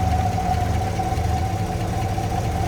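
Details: 1954 Chrysler New Yorker, 331 Firepower Hemi V8, six-volt system, under the hood: steady, even low idle with faint constant hum, no misses or knocks; smooth running, engine appears original.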